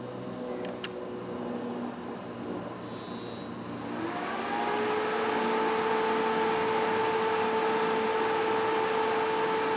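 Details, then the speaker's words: Off-grid solar inverter with a 250 F, 16.2 V supercapacitor bank added to supply surge current: background hum, then a steady buzz steps in as the inverter kicks on and ramps its output to start a motor load; normal buzz under startup load. "you can hear the buzz when the inverter kicks on and the inverter ramps up its output"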